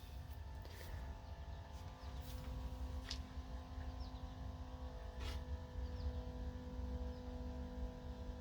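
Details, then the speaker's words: 1951 Brockway truck, previously seized engine freed after pickling, fuel line moved from main tank to boat can, ignition cycled: even low electric hum with faint steady whine; electric fuel pump priming, filling carburetor bowl, which leaks, stuck float suspected. "But cycle the ignition and see if the fuel pump primes up. Oh yeah, she's priming."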